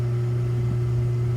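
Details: Hot tub with a single pump on a new Balboa BP7 spa pack, replacing a burnt-out pack, run to purge air after filling: even, steady hum of constant pitch, no rattle or grinding; pump running smoothly and normally.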